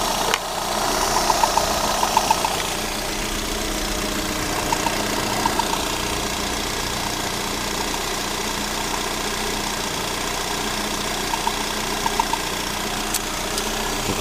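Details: Rebuilt Lada Granta 126 engine idling after reassembly with new hydraulic lifters: light scraping and ticking at engine speed, near the crankshaft. The alternator belt tensioner roller was rubbing the crank pulley, and loosening the belt stopped the scraping.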